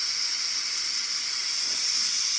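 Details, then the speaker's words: SodaStream CO2 refill from large tank: big tank valve closed, then trapped transfer-line pressure bled off, giving sharp steady hiss; normal bleed-off. "now we'll let out some pressure in the line it won't do much just this little stimuli"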